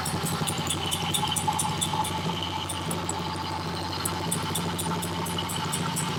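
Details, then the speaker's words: Honda CB77 Superhawk 305 twin, off the road for years, with oil level checked. A sharp, regular ticking clatter at about 3–4 per second rides over a lumpy idle. Owner suspects the kickstart lever is not fully returning, unconfirmed. "it kind of sounds like the the Kickstart lever may not be returning all the way you know or that little whirl but I could be wrong"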